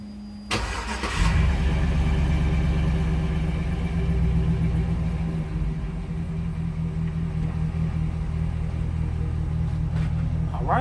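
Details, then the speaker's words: 1998 Chevy Suburban (GMT400) after fuel pump replacement through cut access panel, primed then started: brief crank, catches at once, settles to a steady quiet even idle with no stumble; normal start. "running started up no problem so everything see mine is working out right it's real quiet real quiet"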